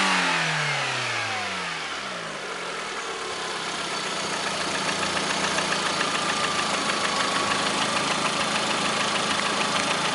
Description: застучал двигатель приоры, 2009 год. пробег 37 тыс. Заливал супротек, через 500 км застучал мотор.